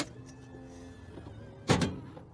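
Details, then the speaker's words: Kwikee RV motorized entry step (A-type gearbox) after repair with 14 Nm motor, door closed: short even motor whir as step folds in, then solid door thump; no grinding or strain, normal retraction. "Okay, at this point you should be able to close your door, and if everything works, it should sound like that."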